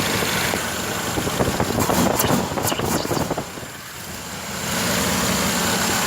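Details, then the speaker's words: V8 with newly installed Sniper EFI throttle-body injection: lumpy idle with light, quick injector ticking on top; normal fuel injector ticking at idle. "I don't know if you can hear the injectors running, hear them ticking a little bit, but"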